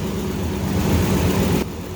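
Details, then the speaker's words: Ford 5.4 3V V8 after repair, first start: deep even idle with slight noise but no longer squealing; normal idle. "No noise. Well, it's a little noise, but it ain't no squealing."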